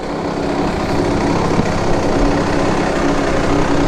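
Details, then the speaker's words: KTM 65 two-stroke dirt bike that had been shutting down at mid to high throttle, now after repair: the clogged power valve hose to the expansion chamber was replaced and the plugged pilot jet and carb cleaned. It holds a steady, even idle with no hunting. "That's it, idling along. Good to go."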